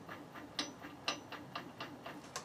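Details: Electric WR250E conversion, chain and guide off, motor in reverse: quiet regular ticking pulses about four a second, surging on and off; suspected cause of the apparent chain binding in reverse.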